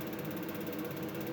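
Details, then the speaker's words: Vaillant combi boiler after its flue-gas fan motor impeller was removed and washed to cure a loud airplane-like noise: even, smooth whir with soft steady hum and only ignition sound, no roar or rattle; normal running. "bakın görüyorsunuz kombi şu anda çalışıyor ve normal sadece ateşleme sesi bu"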